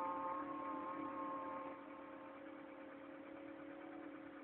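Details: Mk3 1.4 mono-injection engine, cold: steady, fairly regular pulse with several whining tones on top, easing slightly; abnormal cold-engine noise, cause unclear.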